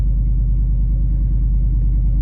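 Steady, even low rumble with a smooth regular beat and no knocks or misses; a healthy cold idle.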